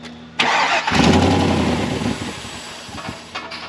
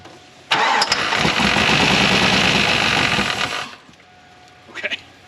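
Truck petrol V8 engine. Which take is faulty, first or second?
first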